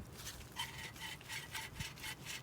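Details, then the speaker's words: 2001-2005 Honda Civic alternator, removed after charging problems following driving through water, spun by hand: dry, gritty rasping, rough scraping grind; the bearing is shot. "you can hear it that bearing is shot"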